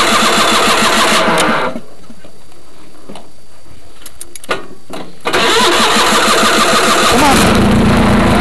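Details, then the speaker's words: Craftsman GT6000 1991 lawn tractor, 20 hp Onan, test mow after deck lift eyelet bolt welded (foot switch bad): cranks, catches, runs strong, stops briefly, fires straight back up to a steady, even idle; normal start and idle. "Sounds good."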